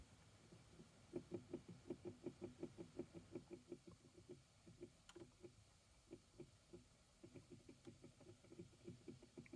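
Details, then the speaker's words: 2012 Chevy Equinox dash blower motor with worn bushings/bearings: rapid clicking about three a second over a soft fan hum, burnt-motor smell from the vents, sometimes won't turn on; blower motor clicking from worn bushings. "can hear it making a clicking sound and oh boy it really stinks coming out of these vents"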